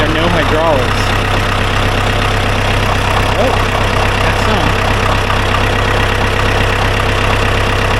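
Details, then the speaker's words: Ford 2120 diesel tractor sat for years, seized throttle cables cut and throttle set to lowest setting: steady, even diesel clatter at low idle with no surging or misfire; normal idle. "So, I cut them off, banged it back to its lowest setting, which is idle, I think. So, let's start it now."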